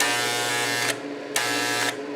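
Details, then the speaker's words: Chicago Electric ~125 A flux-core welder (DC-converted), repaired after burning up, output directly shorted, feed at max 10 then minimum: two steady, even buzz bursts about a second long, no crackle or sputter; working normally. "you can hear the feed is working it's all the way up on 10. put it on minimum so I think we're working"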